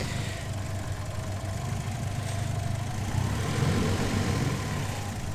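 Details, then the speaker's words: Twin-turbo Ford Capri with a new vacuum leak, just back from a test drive. The idle is set too low, so it is low and uneven, hunting and stumbling; it is wound back in a bit. Rough idle, cause unconfirmed. "oh no she's not too happy there at all actually not enough idol um just wind it back in a bit still fix that yeah so you can kind of hear hunting"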